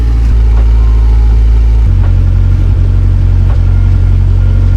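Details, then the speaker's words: Honda S2000, cold start after swapping the OEM exhaust for an EVS single 70mm-tip exhaust: steady, heavy low rumble at a high cold idle with no ticking or puffing; a healthy, moderately loud cold start. "all right so as you guys can tell it's not even that loud and it's a cold start"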